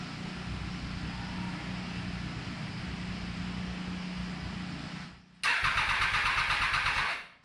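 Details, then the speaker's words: Reassembled motorcycle first start attempt with fluids filled, ECU and air sensor connected, no airbox: starter spins steadily about five seconds but never fires; owner suspects newly changed fuel pump since he didn't hear it prime. "It's not very promising. Think it's the fuel pump because I didn't hear the fuel pump prime and I just changed the fuel pump."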